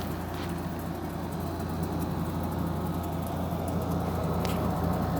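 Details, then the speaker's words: GE 5,050 BTU window air conditioner on medium fan, compressor running behind three grates: a very quiet, steady low hum under the fan airflow with no clatter; blowing cold. Normal operation. "compressor is on now. It's very quiet."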